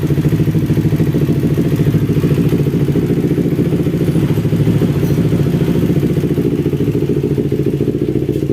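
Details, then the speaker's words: Carbureted Kawasaki Ninja 250 with a complaint of coolant boiling in the reservoir. After refilling the coolant, it idles with the radiator cap off for about 15 minutes. The idle is steady and even with a quick pulse and light valve clatter; normal idle. "kemudian kita Nyalakan mesinnya ya biarkan mesin hidup sampai 15 menit ya"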